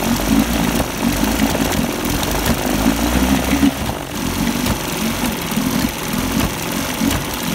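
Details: 1973 Johnson 25hp outboard running rough: the beat lurches unevenly and the speed rises and sags instead of holding steady. Cause suspected, not confirmed.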